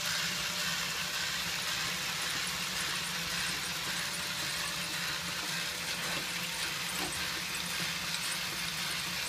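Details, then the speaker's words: Tomy / Radio Shack DustBot toy robot after refurbishment, reassembled with a gear drive that needed extra tension to engage properly: light, even high whir, no skips or grinding; gear train runs smooth as silk. "that was a lot of work but it was fun and it ended up working out great that gear runs smooth as silk in there"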